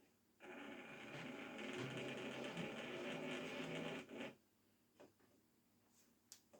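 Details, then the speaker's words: Hornby model railway loco "Belfast" on maintenance day: thin motor whine wavering and surging for about four seconds, then cutting out; loss of power pickup because the pickup wire has come off, a recurring problem. "So, it's the, right. The pickup wire's come off. I've had no end of trouble with that."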